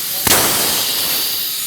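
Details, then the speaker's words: Tsunami Pure 5/Pure 10 regenerative desiccant dryer on shop air: one sharp blast then a long fading hiss as the tower depressurizes and switches back to drying, a normal switchover. "there's that loud expulsion of air and now this Tower is going back into its normal mode"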